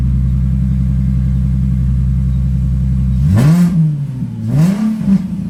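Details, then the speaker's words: 2005 Ford Mustang V6 after new spark plugs and plug wires, air filter refitted, battery reconnected after alternator work: steady even idle with two clean rev blips rising and settling smoothly, no misfire or stumble; runs pretty good, normal. "runs still sounds like but sounds like it runs pretty d good"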